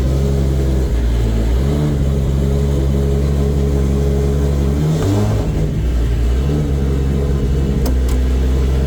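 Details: Toyota 2JZ VVTi six-cylinder JZ swap after clutch pedal/master cylinder rework, before tune: runs smoothly with a deep even rumble and brief rev rises, no knocks or misses; normal running.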